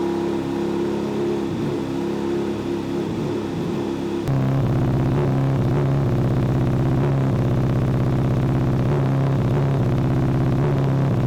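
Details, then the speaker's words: Honda CBR600RR with a very rough idle that hunts and jumps around and feels like it has no power. The owner suspects a bad misfire. Iridium plugs of the factory type were fitted about 1,500 miles ago. "it has a very rough idle feels like no power in between like 1 2 500 rpms idle is all over the place jumps around"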